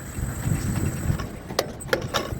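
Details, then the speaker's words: Anupam Alpha A794 tower crane trolley motor brake after repair: low motor hum with three crisp, clean clacks as the brake releases and catches. The harsh noise came from a loose wire (terminal 6 to 4) giving improper voltage, now fixed and working normally. "आवाज सही हो गया है आप screen प देख सकते हो"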